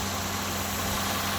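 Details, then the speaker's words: 2002 Chevrolet Impala after a no-start fixed by cleaning a corroded battery terminal, starter wires and engine ground: fires right up into an even steady idle with smooth low hum, no knocks or misses; healthy. "took care of that and cleaned off the wires from starter and the ground going to the motor and then yeah fired right up runs like a kitten"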